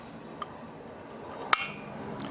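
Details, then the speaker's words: Curb-find tabletop propane heater whose pilot went out when the knob was released: a small tick, then one sharp snap of the piezo igniter in a quiet room, faint hiss as the pilot lights with a blue flame. "pilot light hit the piezo igniter and we should see a pilot light start up right here let's see if we get it"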